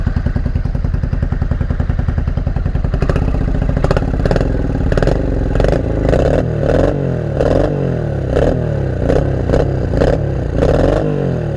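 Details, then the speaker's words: Honda Shadow 500 first start after about four years apart: fast even thumping, then uneven lumpy beat with lopsided pulses; running on only the front cylinder, with fuel leaking. "It sounds like it's only running on one. I think we're only running on one. Why are we running on one? We're only running on the front one."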